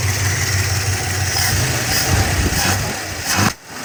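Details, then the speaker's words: Warm Plymouth with stock Carter carb, exhaust now clean after minutes of idling: fast, steady idle that won't settle, fast-idle cam still engaged; also backfires under hard throttle when driven. "And it still wants to sit up on that high idle thing."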